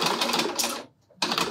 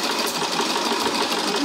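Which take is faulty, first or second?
first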